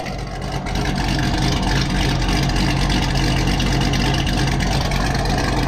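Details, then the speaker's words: Corvette with a custom cam, just started, not yet warmed up: lumpy, choppy V8 idle with steady loping rhythm, race-car sound, no surging; idling fine. "sounds like a race car so it sounds like the cars idling fine it's not surging we're gonna let her warm up a little bit see if anything changes"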